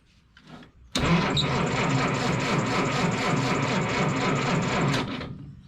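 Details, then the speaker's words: 1955 Willys Jeep wagon flathead: about four seconds of slow, labouring cranking with uneven pulses and no catch; the starter sounds unhappy and is smoking, likely done and needing replacement. "it's the starter does not sound happy anymore no she's smoking too"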